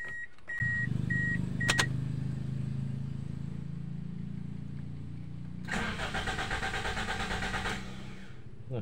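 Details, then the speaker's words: Toyota Altis, cold engine after sitting overnight: chime beeps, then starter grinds about five seconds before catching; long cold crank, black exhaust smoke, restart normal afterward; fuel pressure draining back suspected. "itu ya teman-teman starternya sangat panjang ini"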